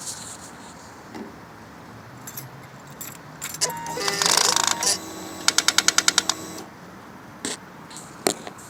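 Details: 2011 Suzuki GSX-R 600 with an aftermarket exhaust, key on and engine off: a quick burst of sharp clicks from a blocked exhaust servo, which also caused an FI light, code C28 and loss of power; fixed by servicing the servo.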